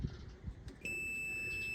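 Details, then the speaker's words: 1999 Mercedes Vario 612D truck with 12 V air compressor that won't stop running at 180+ PSI: multimeter continuity tone across the cut-out pressure switch, connector removed, shows the switch stuck closed; to be replaced so compressor cuts off at 12 bar. "There we go. You hear that beeping? That's continuity across the cutout pressure switch."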